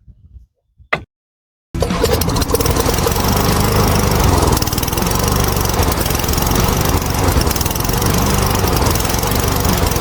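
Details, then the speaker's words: Toro Commercial mower 22155 with Honda GSV190 engine, after servicing: brief start then steady, even, quiet single-cylinder drone with no knocks or misses; healthy running. "These Honda engines are fantastic. Super quiet, super reliable. Good for another, who knows how many more years."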